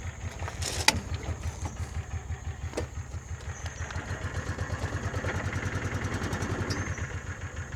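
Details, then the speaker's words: Kawasaki Mule 3010 side-by-side after fuel pump diagnosis and repair, not run in a long time, out of gear: small engine putters at an even, steady idle with a few handling clicks. Runs healthy. "Take it out of gear and crank it up. That's real smell of gas. >> Cuz this hadn't been running in a long time. And away she goes."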